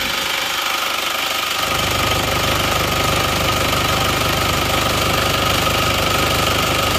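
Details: Isuzu Panther 2.5 diesel after engine repair, warm idle after a 40 m drive without thermostat: even clatter, about three beats a second, no misses or puffing, no smoke from oil filler where there was some before; normal idle, blow-by cured.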